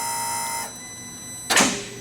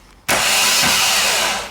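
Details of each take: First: Audi R8 V10 never seen running: pressing the starter gives two sharp single clicks about a second apart with no cranking. Starter clicks, no crank; cause unknown, possibly electrical. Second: Audi R8 V10 with a blown engine: starter spins up instantly to a steady high whir, then winds down cleanly; the noise was present with the starter removed, so the starter itself works fine.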